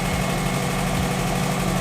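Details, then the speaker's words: Subaru first start after rebuild on a stronger EJ207 bare block: even, steady flat-four idle with a smooth low burble, no knocks or ticks; oil pressure light goes off once running and coolant temperature gauge works. "The oil pressure light came on with the ignition, which means it's recognising the circuit, and then it's gone off when the engine comes on, which means it's recognising that we've got oil pressure."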